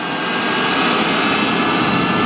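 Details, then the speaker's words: GE LM1500 turbine, a converted roughly 15,000 hp fighter jet engine, started in a test cell with an air start cart: steady rising roar with a high whistle as it lights and spools up to idle. Normal, successful start. "Okay, the start cart's winding down and the big engine is idling. Different than the sounds you hear at an airport, but that's a large turbojet being started at our test cell."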